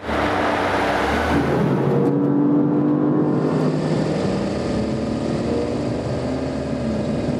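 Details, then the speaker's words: High-performance BMW M brakes (M Compound or M Carbon ceramic) after an emergency stop from 124 to 62 mph: a steady mid-pitched hum for about a second as the car slows, the typical functional brake hum; quality and performance unaffected. "Yes, Stefan, this is the typical pole humming noise. This is a functional noise, and the quality and the performance are not affected."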